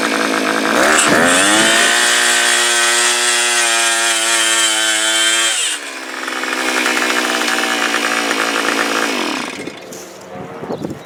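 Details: Earthquake auger two-stroke engine after replacing deteriorated fuel lines and fuel filter, with fresh fuel: high clean buzz that revs up, holds, then drops back to a smooth idle; running properly.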